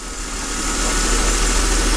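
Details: 2008 Mercedes CLK350, 129k miles, engine previously seized and freed, running without coolant, after the secondary air pump shut off. Even, steady idle with no knock, miss or ticking; normal idle.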